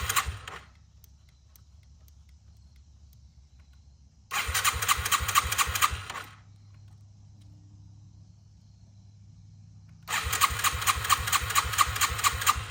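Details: 2001 Yamaha TTR 225 after four years sitting and carburetor cleaning, first start on loosely fitted tank with jump pack: two long four-second bursts of fast starter cranking without catching; owner thinks fuel was slow reaching carb; it later fires.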